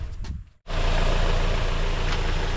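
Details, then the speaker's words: 2007 Hyundai Sonata 2.4 L four-cylinder, just over 142K miles, started after engine air filter replacement and tightening a loose intake clamp: brief pause, engine fires and settles into a steady, smooth low idle with no knocks, ticks or hiss; normal idle. "This is the all-season Super Tech, so that's good, and it sounds real good. It is running really smooth."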